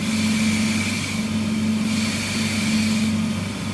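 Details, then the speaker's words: Harvey table saw with Incra LS setup and SawStop-style blade guard: steady even hum, constant mid-pitched tone, no rattles or rubbing; runs smoothly and very quietly for a table saw. "So it's running very quiet for a table saw."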